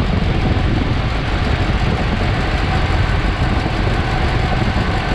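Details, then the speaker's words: Dodge V8 in 1965 Clark Cortez motorhome after oil pan, pump, pick-up pipe and filter job: loud rough low rumble with uneven chuffing, still making the horrible noise; petrol seen leaking at the fuel pump, cause unclear. "so it still makes that horrible noise"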